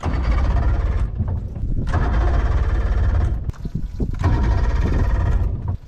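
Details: Two-stroke carbureted boat outboard on flush hose, primer bulb pumped and choke engaged, after corroded ring terminals were replaced: repeated cranking bursts with pauses, trying to catch but not running; hard starting.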